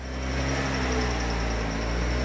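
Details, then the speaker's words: Honda Civic-based Bugatti Veyron kit car with five-speed manual, first start after connecting the battery: steady, even idle hum with constant low drone, no knocks, misses or surging; sounds good, though raw fuel smell noted. "sounds good what [Music] it sounds pretty good huh"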